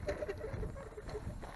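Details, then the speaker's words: Soyee GPTOYS 1:10 4WD RC truck with a GoPro on top, driven over rough ground: short, high squeaks repeat as it bounces. The rear shocks are screeching and the fronts a little; owner suspects water got on them. "let's see actually sounds like the shocks are screeching the rear shocks I don't know why they'd be screeching like that"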